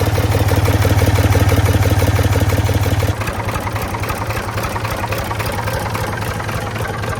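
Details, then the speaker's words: Previously seized Ford 4000 diesel tractor, now running on its own: a loud, fast, even clatter at start settles into a rougher, uneven idle. Owner finds it a bit noisy but is unsure whether that's normal for a Ford 4000. "Um, it is a little bit noisy. But I don't know if that's how Ford 4000s are supposed to sound."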